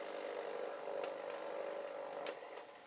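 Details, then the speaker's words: Old chart recorder paper drive at 0.5 mm/s: steady mid-pitched whir with ticking, even for two seconds then cleanly off; smooth healthy motor. "You can zero these up there, and as I say, the speeds, can you hear that ticking? That's on 0.5 millimeter per second that this paper is travelling this way."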